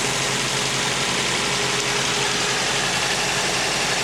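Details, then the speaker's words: 1986 Toyota Sprinter Trueno AE86 GT-Apex, 131,324 km, Japan auction car with aftermarket air filter, catch tank, exhaust header and plug wires; apparently long-sitting car idles steady and even with busy intake and exhaust rasp, no misses or knocks; normal idle. "if you subscribe to this channel youve probably seen my other videos and people saying that the engines don't sound right this one sounds good to me"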